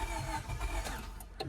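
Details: 2000 Honda Civic D16Y7 won't start: brief low starter chugging with no firing or catch; cause not confirmed, crank sensor and distributor suspected.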